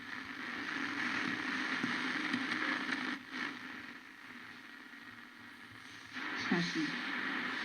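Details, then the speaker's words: Blaupunkt Arkansas tube radio after replacing the blown ECH81 mixer-oscillator tube: on shortwave a station comes through clearly over hiss, dips while retuning with the FM fine-tuning, then locks back in; reception restored. "so happy this is working oh that's fantastic that is fantastic okay the ECHL e1 was blown and it's probably the oscillator section"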